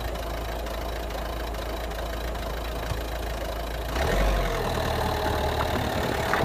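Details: 2011 Citroen DS3 110 HDi diesel at idle: light, fairly regular clicking about three to four per second, then revs briefly rise; engine clicking noise, cause unknown.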